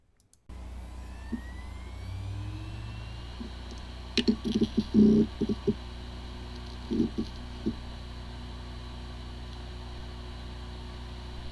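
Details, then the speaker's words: Seagate BarraCuda hard drive (ST4000DM004/ST3000DM007 family) spins up smoothly to a steady whir with normal seek clicks, but the computer cannot detect it; disk firmware corruption, repair with tools like PC3000. "the following is the sound from one of the hard drive which experienced disk firmware corruption it sounds like a good hard drive but the computer cannot detect hard drive"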